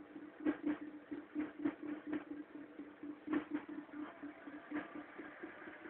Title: mk3 1.4 mono bad engine sound then cold